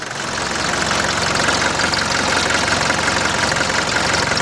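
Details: 1981 Mercedes-Benz 240D diesel, whole vehicle and reservoir tank shaking, worse in Drive: uneven clatter with a shaky knock about three times a second that carries on off throttle; rough running, cause unknown.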